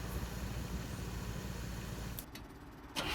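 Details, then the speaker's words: 1964 International Harvester Travelall C1100: starter cranks in steady, rough rhythm about two seconds without firing; hard start while fighting ignition timing (reading about 15° vs expected 5-10°) and carb mixture; cause unconfirmed. "And back at the starting issue again. You can hear I'm trying to get it started and running."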